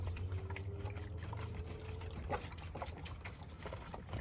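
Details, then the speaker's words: Holden Alloytech V6 overheating: low steady hum with irregular wet bubbling pops as the coolant hose is squeezed, air trapped in the cooling system; water pump later replaced for insufficient flow. "you can hear it that there's something in there that sounds flashing get out guys I'll um the engine's still getting hot so I'm gonna open this thing and have a look and try to release the air"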